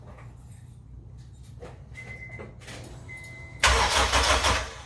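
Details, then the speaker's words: AWD Honda Civic EM2 with new turbo and full exhaust, first start after install: starter cranks the engine over steadily then spins hard with no firing, cranks but won't start because the fuel injectors were left unplugged; spark plugs and coils just installed. "Oh. It's not going to start if I don't plug the fuel injectors in."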